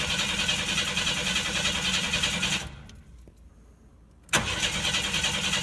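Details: 1992 Chevy S10 Blazer with TBI cranks at a steady even rhythm, pauses, cranks again and never fires; fuel pressure test reads zero, so the electric fuel pump is dead.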